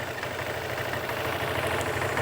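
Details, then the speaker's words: Vespa GT200 scooter after comprehensive Keihin carburetor cleaning and fuel line replacement, warmed over a minute: even steady single-cylinder idle, no misses or rattles; healthy, likely no idle mixture or speed adjustment needed. "uh Scooter's been warmed up for over a minute it sounds pretty good I don't even think I need to make an adjustment to the idle mixture idle speed"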